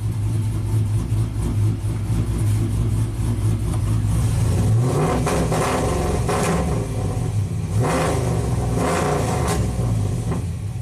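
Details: Tuned 2000 GMC Sierra 5.3 V8 (cam, exhaust) setting code P0336 crankshaft position sensor performance. It idles roughly, then stumbles and misfires on revving, sometimes climbing, sometimes not. The problem persists despite a new OEM CKP sensor.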